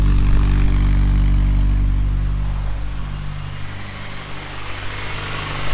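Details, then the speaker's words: Honda Prelude on its coldest start after a cylinder head rebuild, cooling system being burped, coolant temp sensor code: a loud, deep drone easing off over seconds with busy mechanical clatter. Noisy cold start, cause unknown. "Definitely a noisy one. It's throwing one coolant temp sensor code, which doesn't surprise me, but she's running."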